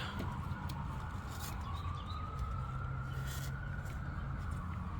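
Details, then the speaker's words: 2017 Tesla Model X 100D, 34k miles: after foam was pushed between two touching AC lines whose vibration was causing a dashboard rattle, the AC runs with a steady low hum and faint tone, no rattle. "just shove it right in between the two pipes no more rattle problem solved"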